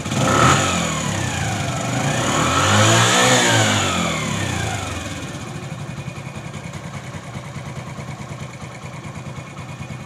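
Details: Bajaj CT 100 motorcycle, about 17,000 km, after repair with engine oil refilled and silencer tightened: clean, even revs climbing and settling with no tapping or knock under the exhaust; customer had complained of strange engine noise.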